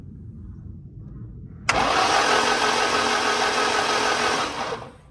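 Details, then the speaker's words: Car unstarted for 20 years, coils fed 12 V directly: starter cranks steadily about three seconds without firing; spark present, crank sensor working, but fuel pump not yet powered, so no fuel. "so we do get spark so that shows that there's cranking and we're getting a crankcase sensor and there's some sort of timing going on"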